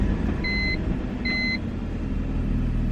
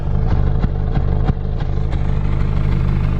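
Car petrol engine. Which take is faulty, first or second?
second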